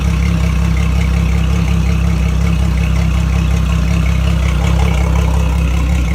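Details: Mercury Verado outboard idling on flush ears after oil change (7.4 quarts): smooth steady low hum at one even pitch, no ticking, knocking or surging; oil pressure good, no leaks, healthy.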